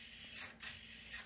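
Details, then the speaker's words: Redcat Lowriders Sixty-Four RC car, steering servo with the end point set past the wheels' mechanical lock; short raspy buzzing bursts at full lock as the servo strains, which can burn up the servo until the end point is backed off. "that's going to burn up the servo the wheels can only turn to a certain point they're mechanically limited at that point if the servo's trying to force them to steer past that point that's going to force on the servo"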